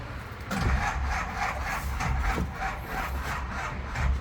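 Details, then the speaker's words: 1971 Jeep Wagoneer with a Nissan LD28 six-cylinder diesel: sluggish, labored cranking at about two turns a second that never fires. The weak battery cannot start it. "สตาร์ทยากหน่อยนะฮะแบตมันอ่อนผมลองสตาร์ทดูนะฮะไม่รู้ติดหรือเปล่า"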